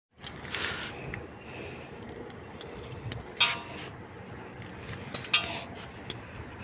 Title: Strange Noise inside my tyre mags